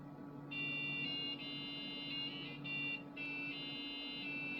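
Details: Packard Bell PC with PB570 board and 100 MHz Pentium under Windows NT 4.0: thin square-wave beeps playing the Busy Town theme over faint hum through the PC speaker, because the game's sound won't work through the sound card.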